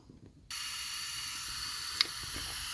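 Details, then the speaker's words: 2017 Mercedes-Benz GLS550 Airmatic: passenger-side air line loosened a few turns with 10 mm wrench to release system pressure before air spring removal; sudden steady high hiss as the suspension deflates normally. "right, I've loosened it a few turns and you can hear it hissing. Don't go crazy."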